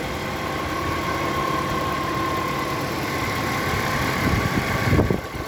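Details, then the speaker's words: 1998 Audi A6 C5 2.4 petrol at idle: steady, fairly high-pitched hum over the running sound, appearing after the alternator was repaired and refitted; source unknown. "После замены генератора, есть после его ремонта, появился какой-то гул. Что может так гудеть?"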